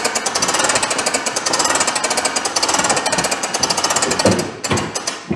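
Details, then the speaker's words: Pop-up camper whose top won't raise, suspected lift cables: as the crank handle raises it on jacks, rapid, even clattering clunks come with each turn, almost like something slipping. Cause suspected, not confirmed. "What's all that noise? Didn't sound good. It didn't sound good, did it? It wasn't inside, was it? Almost sounded like it was slipping."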